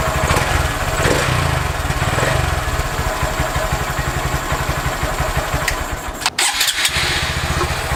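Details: Honda Grom just after Chimera intake install: small single settles into a steady, even idle with a noticeably deeper, throaty intake note, no knocks or misses; healthy idle.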